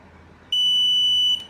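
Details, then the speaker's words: Multimeter on continuity mode testing a push switch: clean steady high-pitched buzz for nearly a second while pressed, stopping on release; switch contacts are fine. "छोड़ने पे बंद हो जा रहा है, दबाने पे बजर की आवाज़ आ रही है, इसका मतलब ये ओके है।"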